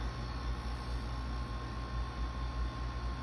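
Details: Insignia NS-IMN44BS4 nugget ice maker after motor replacement, cover back on: smooth, even low hum with a faint steady tone and no knocking; running normally.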